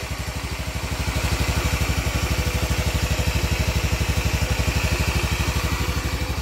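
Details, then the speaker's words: Honda Vario 110 FI scooter idling steadily after new crankshaft bearings (6007, 6205), crank seals, oversize-25 piston kit and full CVT set; earlier very rough, now smooth healthy bottom end, slight rattle near CVT pulley remains; normal idle. "Oke Bro ini seperti itu untuk hasil dari Vario ini kan Bro setelah dilakukan pergantian laher bearing kruk as kanan kiri tadinya sebelum kita ganti Suaranya sangat kacau kan Bro"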